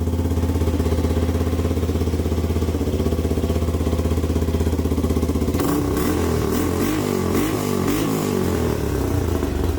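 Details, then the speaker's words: 1985 Yamaha YTM225DR Tri-Moto single-cylinder, revived after 30 years, after carb work for a sticking float and idle adjustment. Steady thump at idle with crisp throttle blips rising and falling cleanly. Runs strong and healthy. "Fuck, she sounds mean. Well, that's all for today, guys. I'm gonna shut it back down. Hang on. I love that sound. Never gets old."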